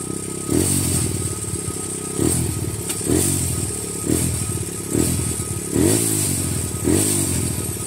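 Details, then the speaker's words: Grom on a new Nibbi PE22 carburetor at stock settings: idle is too fast and won't settle, surging in uneven bursts about once a second; erratic high idle, owner suspects it needs a smaller slow jet. "there we go it's idling up now that's erratic right there that's a little high"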